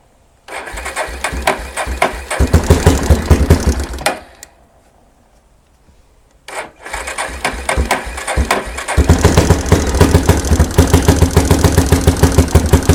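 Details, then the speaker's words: 1992 Yamaha Big Bear ATV, single-cylinder, revived after sitting a decade or more; runs with choke out, catches, runs unevenly and dies, then restarts and holds; stalling caused by idle speed set too low, fixed by raising idle. "and then the actual idle is what was causing this one to not stay running so i had to adjust the idle up a little bit"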